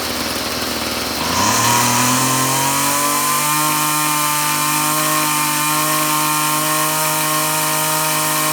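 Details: Two-stroke string trimmer (weed eater) revving from buzzy idle to a clean, steady high whine without surging or bogging, after the idle mixture screw was turned in from suspected too-rich; the carburetor has only one adjustment, no high side. Dialed in.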